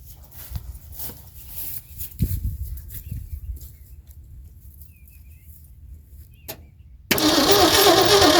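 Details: 1972 Ford F350 Custom one-owner abandoned work truck, big-block V8, four-speed, revival attempt after the fuel line was reconnected to backfill the pump: steady cranking, faint sputters nearly catching, then a loud rush. Fuel-starved no-start; choke to be opened.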